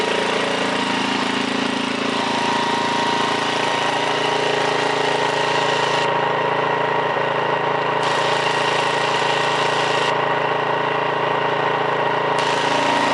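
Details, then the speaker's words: 1968 Briggs & Stratton 7hp 275cc horizontal engine restarted at 3/4 throttle, no load: smooth steady single-cylinder drone, no misfires or knocks; owner says full throttle may need a tiny adjustment but it runs just about perfect. "it sounded like it still need a tiny adjustment but of course that's under no-load so obviously once you throw it onto something it'll run even perfect but it ran just about perfect"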